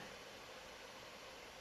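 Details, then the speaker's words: 2015 MacBook Pro 15-inch Retina (2.2 GHz quad-core i7, 16 GB RAM, 256 GB SSD) right after the Unigine Heaven benchmark: a steady, even airy rush as the fan works flat out cooling the CPU, with no ticking or rattle. Normal. "okay so I just finished the unique heav'n benchmark test and you guys can hear that fan work and really hard to cool off they CPU"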